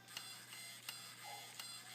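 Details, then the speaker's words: Clicking in an RC helicopter T700 tail rotor assembly, four sharp dry clicks as the tail is rocked by hand; no gear slop or shaft sliding, servo arm stiff with no slop, looseness elsewhere in the assembly. "see there's a there's a clicking sound and it's not there's no slop here in between the gears there's no SL slop so the the shaft isn't SL sliding up and down"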